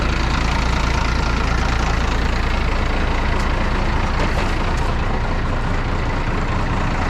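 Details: 1995 International 4700 dump truck, DT466 diesel, first run after about a week sitting and fuel-system priming following starvation: deep, even idle with steady low rumble, no misses or knocks; running smoothly after the no-start.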